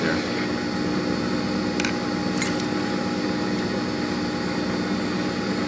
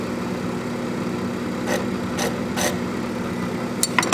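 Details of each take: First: FAV AV2 leather skiving machine after blade sharpening and setup, pedal feathered: steady even motor hum with constant whine, no catches or chatter as leather grabs and feeds through; sharp blade cutting smoothly. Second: FAV AV2 leather skiving machine: steady motor hum sags under load with raspy scraping bursts as leather feeds. Motor struggling because the blade is dull.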